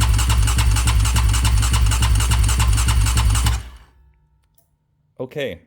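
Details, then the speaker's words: Yamaha Raptor 700 ATV built to 740 cc, priming oil system: steady, strong starter cranking at about 3.5 beats per second, then stops; no oil flow yet. Cranking limited to 10 seconds at a time to avoid overheating the starter. "so I don't recommend cranking on the starter more than 10 seconds at a time the starter motor itself can get hot and overworked so as you see we still have no oil flow there"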